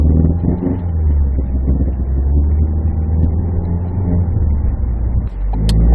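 Heavy, droning rumble with a rough shudder as the car pulls; grinding and vibration under acceleration, likely in the dual-clutch gearbox.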